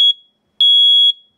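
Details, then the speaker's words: First Alert explosive gas and carbon monoxide alarm, test/mute button pressed: piercing loud high beeps, a short one then a half-second one, as the alarm runs its internal self-test. "I'm covering up a little bit but as you can see it's really loud so as you can see it's running through its uh internal test"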